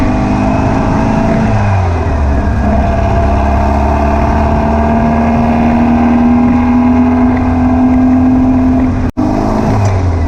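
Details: Air-cooled VW beach buggy flat-four after clearing a blocked idle jet in the driver's-side carburettor and rebalancing the carbs: pulls cleanly through the revs and settles to an even note, with no popping or spitting.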